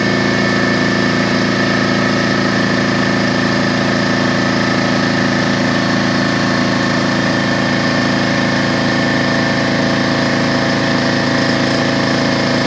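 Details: DeWalt 4.5 gallon air compressor after no-start troubleshooting and repair; steady even motor-and-pump drone with no knocks as pressure builds; normal run.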